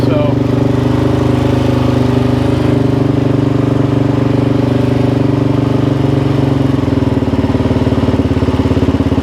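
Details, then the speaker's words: 2005 Suzuki LTZ 400 single-cylinder ATV after valve-train repair (a prior shop's failed valve guide job), restarted with idle turned up and a little choke: steady even idle, no valve tick, sounds way better; normal idle. "there we go there we go that sounds way way better that sounds really really good"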